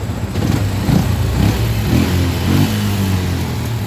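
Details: Yamaha Jupiter MX hot engine: small single keeps idling steadily with light blips after key turned off; run-on caused by a miswired cable fed via the fan temperature-sensor circuit, installation error.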